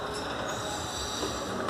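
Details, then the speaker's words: Nissan Frontier 2.8 MWM diesel: a steady high-pitched alternator belt squeal while running, caused by a misaligned alternator pulley; it was fixed by shimming the pulley into alignment after other part swaps failed. "estava desalinhado e eu já estava querendo vender o carro que levava em vários lugares ninguém conseguia"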